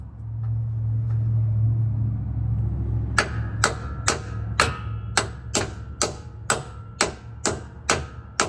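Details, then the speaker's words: 1998 Ford F-150 rear axle: a thicker wheel-bearing repair kit is tapped in with a hammer instead of the proper tool, and the sound changes once it is fully in. Steady metallic taps about twice a second. Bearing not yet fully seated. "we're going to use a hammer and just tap around the edge and you're going to hear a difference once it gets uh in all the way"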